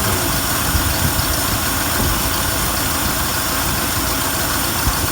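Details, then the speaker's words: Ford F-100 V8 just started after a tune-up with new plugs and wires: even, steady smooth idle rumble with no ticking or clicking on top, not smoking. "pretty steady [Music] no clicking or ticking or anything"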